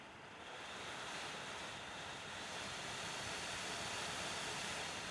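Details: Dell WD19TB USB-C laptop dock, about two months old, computer mostly idle (CPU 0-25%): internal fan randomly surging 0-100%, loud leaf-blower-like airy rush, plus clicking electrical noises; was silent when new.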